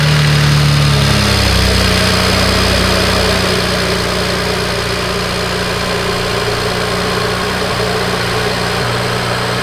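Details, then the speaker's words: BMW big-turbo car after installing a rebuilt alternator (tested at 14.5 V), voltmeter connected: a steady, even idle drone with no knocks or misses; the engine runs fine and the alternator charges slightly high. "okay alternator's in it is charging it's charging a little bit high but what I want to do is let the car idle see if it drops"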